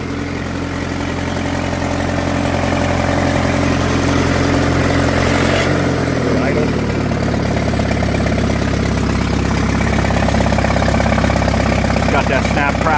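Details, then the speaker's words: Farmall at auction, started without choke: lively putter drops to slower even idle, regular beat, no knocks; oil pressure good at idle, water temperature gauge slowly climbing; healthy. "Oil pressure still good at idle. Um, water temperature gauge is slowly climbing"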